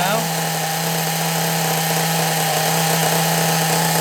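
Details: Small nitro RC engine, carburettor suspected as the earlier problem and a known-good carb to be tried later; steady high buzz holding an even pitch without surging; normal idle, running well.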